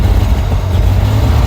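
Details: Vintage car's engine, choke being pulled: low, deep, even chuff at slow idle with no misses or knocks; normal idle.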